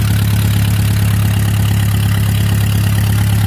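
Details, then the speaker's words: Fully rebuilt Palmer M60 marine engine, rebuilt after water got into the oil, test run on a shipping cradle with the drive shaft idling in neutral and cooling water run out: smooth, steady low rumble, even firing, no knocks or misses; normal idle. "the engine now both looks beautiful and runs very very nicely here she is she's running now"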